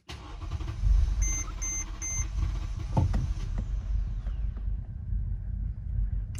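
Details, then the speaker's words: 2011 Mercedes GL550 auction SUV, start attempt after servicing and cleaning out heavy dirt restricting its breathing: dash chimes, then long uneven low churning that never catches into idle; extended cranking, struggling to start. "struggling all right well that's always scary when that happens and it doesn't start"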